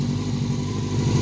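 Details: 1989 Honda CBR600 Hurricane, first start in 5 years after cleaning clogged carburetor jets: steady deep four-cylinder burble at fast idle with an even beat; running smoothly on all cylinders, though still needing some tweaks.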